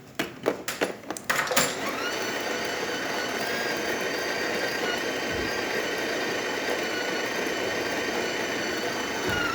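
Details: DeLonghi Specialista espresso machine grinder after repair (unclogged, cleaned, burrs polished): a few clicks at start, then a steady, even whirring hum holding pitch, grinding normally.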